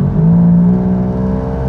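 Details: Perodua Axia three-cylinder lacking power, driven and pushed harder under load: steady strained drone that stays flat instead of pulling; engine lacks power, suspected choked catalytic converter.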